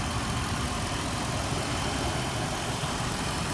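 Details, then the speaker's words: Jeep Grand Cherokee after crankshaft position sensor wiring repair and replacement clearing P0335/P0315: starts right up, steady even idle with steady rpm, no misses or knocks; runs smooth. "so problem with the crankshaft sensor issue called p0335 fp0315 fixed you can hear the engine it runs very nice very smooth"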